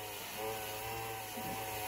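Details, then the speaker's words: Tesla Model 3 cooling system after vacuum-purging with an adapted hand pump: coolant pumps whine and waver, bogging down as they catch trapped air, with air bubbling up in the tank. "You can hear them bogging down and catching air. And you'll see the air bubble up right there."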